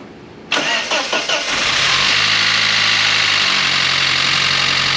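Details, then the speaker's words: SAAB 9-3 first start after cooling-system overhaul and belt refit, second attempt, low oil pressure being diagnosed: short crank, fires into fast, loud idle with harsh clattery top end and pinging; no oil pressure light, quieter than before, cause unclear. "So obviously it started off pretty loud, and it is still a bit loud, but there's no oil pressure light on the dash"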